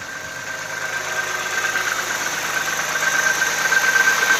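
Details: Audi A6 C4 2.6 V6 (ABC engine) knocking at cold idle: a light, fairly quick knock, roughly three per second, over the engine hiss. An oil change made no difference, and the cause is unknown.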